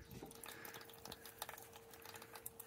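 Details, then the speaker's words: Small pump in an NFT hydroponic system feeding an 8 mm silicone hose on first test run: a steady low hum under trickling, splashing water, with no knocking or rattling; the pump is running normally. "насос включился работает шумит напрягаются но вроде качай сейчас посмотрим что же происходит у нас коробе"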